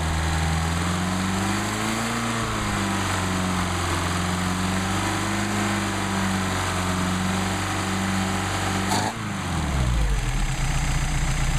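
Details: Mercedes-Benz 190SL with rebuilt replacement Solex carburetors on test; started without choke at about 99° ambient, warming up before adjustment. Steady even idle, smooth low drone, no misses, stumbles or knocks; carbs feeding cleanly; normal warm-up idle.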